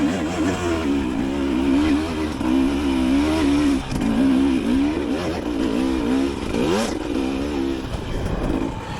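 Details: 2025 Husqvarna TE300 TBI two-stroke dirt bike after ECU remapping, on a hill: revs sag on the climb, then recover smoothly and build steadily without bogging; clean RPM recovery from low RPM.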